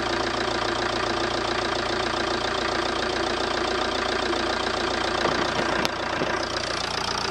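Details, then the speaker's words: Ford Transit Connect diesel just after replacing the injector seals: it starts almost immediately and idles with a steady, even clatter, running smoothly with no leaks. "but as you can see it's running running quite smoothly seems to be all right doesn't seem to be any leaks"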